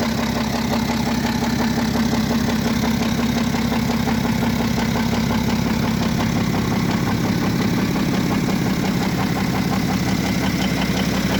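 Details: BMW F07 535d xDrive GT diesel with engine damage: loud idle with a regular metallic clatter, roughly two per second, riding over the engine; internal rattle of unknown cause.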